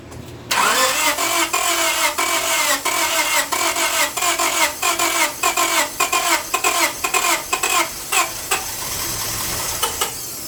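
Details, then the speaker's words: 1998 Honda Civic 1.6 VTEC that stalled on the highway, started with the accelerator held: it runs with a steady heavy knock on every turn. A failed rod or excessive bearing clearance is blamed, and the engine needs replacing. "but that definitely was a rod that gave way or excessive clearance caused it."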